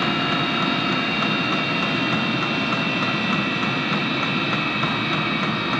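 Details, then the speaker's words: HCalory SS2 diesel heater at level five, mid setting, drawing about 25 W: even combustion roar with soft, loosely regular ticking underneath and a steady fan hum; running normally. "okay folks we just bought the diesel heater down to level five that's right in the middle"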